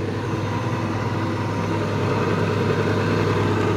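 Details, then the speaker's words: Microkinetics milling machine spindle running forward with brand-new Marathon motor: steady even low hum, no knocks, rattles or wavering; smooth as silk, healthy. "so we'll see that turn and we're going to go porn and it's smooth as silk one reason for that is that he put a brand-new motor on here"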